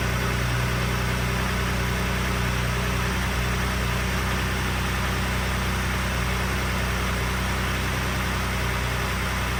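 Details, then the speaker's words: 2021 Ford F-150 3.5L EcoBoost cold start at 13°F, off over 24 hours, no block heater, after 1,700 miles on Valvoline Restore & Protect: steady idle with a light fast metallic rattle from the wastegate actuators, unresolved. "also you may hear what sounds like a reeling noise that is from the wastegate actuators something that I'm still figuring out how to address"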